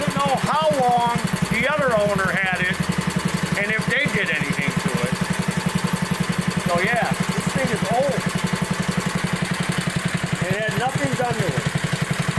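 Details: 1960s Bolens Lawn Keeper 28-inch mower, carburetor not yet adjusted, untouched at least 15 years: old single-cylinder engine chugs steadily cutting grass, even firing rhythm under load; sounds healthy.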